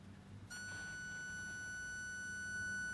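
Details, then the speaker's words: Bose QC30 earbud with an unusual fault (left ear honks when pressed or blown on), traced on teardown to water ingress: blocking the front vent alone triggers a steady shrill ~1.5 kHz noise-cancelling feedback squeal; normal earbud doesn't squeal. "没有听到一个啸叫的声音？单独把这个前出音口把它堵住的话，它就会出现啸叫。"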